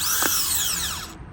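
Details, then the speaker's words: New starter for 2000–2004 Nissan Maxima bench-tested on 13 volts: gear pushes out and spins with a clean, even high whine winding down smoothly, no grinding, unlike the grindy old starter; normal. "hear that? So this one is very smooth, push out and spin."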